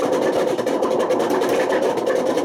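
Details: Washing machine on fast spin with badly worn drum bearings: a loud, steady rumbling roar with a harsh grinding edge. The bearing failure damaged the spider and put excessive wear on the motor.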